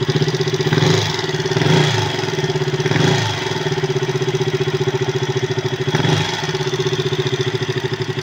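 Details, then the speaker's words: KTM RC 200 single-cylinder after a top overhaul fitted with non-genuine aftermarket valves: loud, fast, even top-end ticking at idle from excessive valve clearance. The bike also stalls when revved. "And then pagka tapos ng trabaho ganito na yung tunog. Yan oh."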